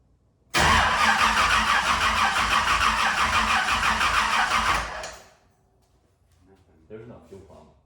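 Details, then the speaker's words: 1971 Camaro with a brand-new LS engine and Holley EFI, first fire attempt: steady fast cranking for about four seconds with no firing; fuel pump suspected not running despite 42 psi reading, not confirmed. "the fuel pump's not working dude something's not yeah"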